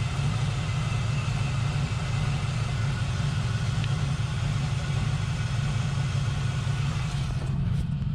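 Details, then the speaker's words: Turbo LS-swapped Mazda RX7 FD at idle: a steady deep but lumpy, uneven beat. Cylinder temperatures show cylinder 1 misfiring or running very poorly and cylinder 4 cool (155 vs 190 degrees); coils were ruled out, and faulty aftermarket injectors are blamed. "you can see there that uh on cylinder one clearly it's either either misfiring or running very very poorly"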